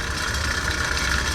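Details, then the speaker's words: Bell & Gossett 1/4 HP, 1725 RPM, 115 V boiler heating circulator pump: steady motor hum with mid-pitched whine, running rough; motor gone, impeller suspected damaged, tenants without heat, motor to be replaced. "The motor is gone, and it seems like this circulator, it's already faulty."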